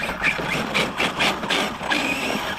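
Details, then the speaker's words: Arrma Kraton 6S V6 BLX RC car, built diffs, bashing late in a 9500 battery: harsh rasping bursts about every half second over the motor whine under load, a differential going out. "I just jinxed it. I think my diff is going out. No, Kraton diff."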